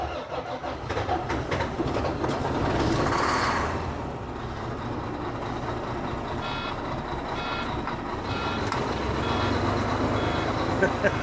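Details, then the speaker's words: 2004 Volvo truck diesel, after sitting years, just fired on ether sprayed into the air cleaner: irregular, stumbling beat sagging as if about to stall; rough running, may need more ether. "she's a little rough buddy she's a little rough come on don't go dead probably gonna have to get you to spray a little more"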